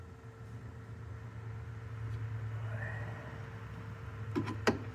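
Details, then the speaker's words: Steiner 230 with Kubota gas engine, bought cheap and neglected, key on while cranking showed no ignition voltage: low steady electric hum with faint whine then a couple of clicks; electric fuel pump priming normally. "But I do hear the fuel pump kicking on."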